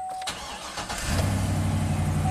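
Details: 2013 Chevy Silverado 2500HD after repairing a camshaft position sensor circuit fault (P0340, long crank complaint) and clearing codes: brief crank, catches within a second and settles to a smooth even idle; normal quick start, no DTCs.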